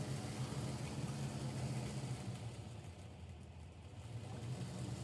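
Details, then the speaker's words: MaxxAir roof fan in a camper, powered from leisure batteries through a two-location switch, running in exhaust direction: steady low whooshing hum as it sucks air out, even and smooth with no rattles or ticking; normal operation. "Let's just turn it on right now. It's sucking air out right now."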